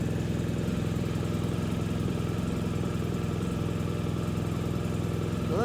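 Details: BMW R1250 GSA boxer twin idling just after radiator guards were fitted, checking for vibration or rattles; steady, even low idle with a smooth unbroken beat and no rattles or buzzes, running healthy.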